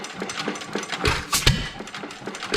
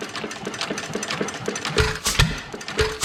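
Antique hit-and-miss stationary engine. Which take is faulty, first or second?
first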